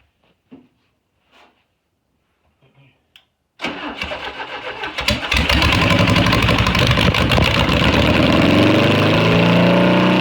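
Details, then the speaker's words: VW Beetle air-cooled engine after correcting plug wire order and slightly adjusting timing, running on fuel from a bottle: cranks, catches and settles into a steady, even idle, firing clean and regular; normal running. "that sounded pretty good"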